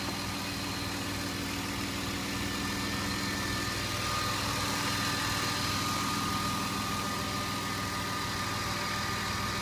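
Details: BMW E34 520i idling evenly and steadily with no tapping from the top end after adding RESURS Next oil additive; hydraulic lifters quiet, engine running healthily.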